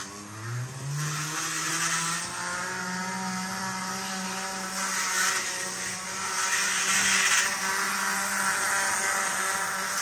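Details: Athearn model locomotive under power: small motor hums with gritty grinding, briefly dropping out; grinds going clockwise around corners, not counterclockwise, silent when pushed unpowered; gear grinding.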